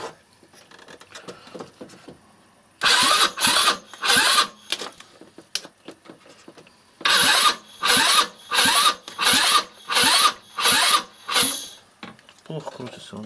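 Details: 161QMK scooter engine, first start after long storage and reassembly with timing marks set, rusted carburetor damper and oxidized intake: repeated cranking bursts about one a second catching briefly and sputtering before dying; hard start.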